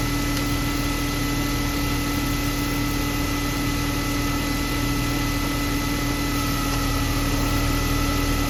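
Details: BMW E36 M3 after a loose spark plug was found and retightened to fix a ticking/thumping noise: smooth, even idle with no ticking or thumping, so the engine is now running normally.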